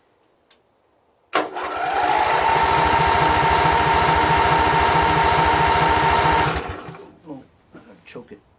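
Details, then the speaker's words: Craftsman GT6000 tractor, Briggs & Stratton Vanguard 16HP horizontal-shaft engine, after swapping in a second fuel pump; starter spins steadily, about four compression pulses a second for five seconds, never catches; crank no start, still no fuel reaching carburetor. "you know I still don't see any gas then we see gas before damnit yes ain't got a fire without gas"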